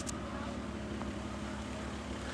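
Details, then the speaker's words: Toyota Cressida after maintenance, cooling system bled and timing set, warm idle after about half an hour with the thermostat working: steady, even low hum with no misses, knocks or ticks, faint wind, blower motor audible. Runs smooth. "She's running smooth. She's been running for like a half an hour now. Thermostat is working."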